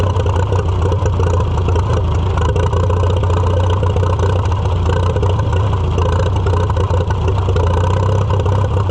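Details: Farmall F-12 tractor on steel, auction find being revived: steady low drone at constant speed, nothing sharp on top, condition unclear; owner suspects air cleaner restriction and carburetor needing rebuild.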